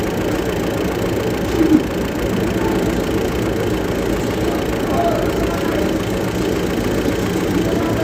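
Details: Hino truck diesel at idle: a steady low idle with a dull, uneven knock riding over it. The knock's source is not yet pinned down.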